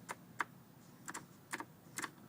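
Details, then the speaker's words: Briggs Intek engine on a racing tractor, with a modified key-on harness to the carburetor: sharp dry clicks about twice a second with the engine off, the carb fuel solenoid pulling in at key-on; owner hopes it isn't stuck. "it was clicking but Poss hopefully it's not stuck that would be that would suck"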